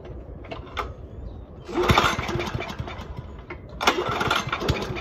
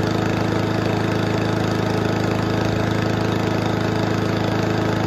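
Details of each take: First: Toro commercial 22295 mower with a commercial Honda engine, sat all winter, no start after 10–12 pulls on full choke. Primed with brake clean, it catches, sputters a second or two and dies, twice. Suspected carb issue or old fuel in the bowl; tank fuel fresh. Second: Toro commercial 22295 mower with a Honda engine, sat all winter, running on fresh fuel after old fuel in the carburetor was the problem. Steady, even single-cylinder beat at constant speed with no misses or surging; fixed, runs properly.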